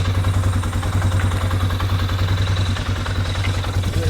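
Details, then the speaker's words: 2007 Polaris Sportsman 500 ATV, long parked non-starter, after used fuel pump replacement: steady even low idle putter with regular firing pulses, no knocks or misses; sounds healthy. "there she goes this thing will run like [ __ ] without this on there about to start losing stuff sounds good sounds"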